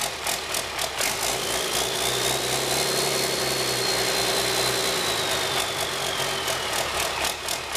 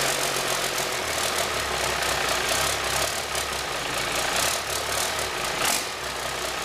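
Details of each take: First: High-mileage (about a million km) 5.9 Cummins 12v diesel with P7100 P-pump, started after bleeding injector lines: steady idle with even clatter about four beats a second and light whine on top; normal diesel idle. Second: 1997 Cummins 5.9 12-valve, 960,000 km, idling with oil filler cap loose: constant rushing hiss and fast chuffing puffs from the filler; failed blow-by test, excessive crankcase blow-by.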